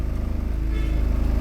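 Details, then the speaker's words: Mitsubishi Galant Shark automatic, idle about 950–1,000 rpm, put in drive with brake held: low pulsing idle with regular throb; vibration in drive reduced slightly but remains, cause not pinned down. "Neutral drive. Karagkag. Nabawasan."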